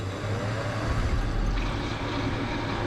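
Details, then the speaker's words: Bar beer chiller pump after topping up the low water reservoir: only a smooth, steady low hum, and the earlier annoying whine is gone; the pump runs healthy. "So the wine's definitely gone. Happy days."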